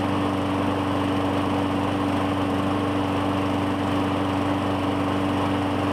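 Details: 2017 Murray 21" mower, Briggs & Stratton 450E, after cleaning the clogged plastic carburetor's brass bowl inlet: steady even drone with clean constant pitch, no misses or hunting; normal running, no smoke.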